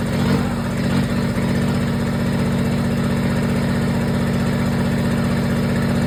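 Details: Kubota diesel generator restarted after repair, air box off with a block-off board and the fuel pump jumpered: it settles into an even, steady idle clatter with no misses or stumbles and runs normally.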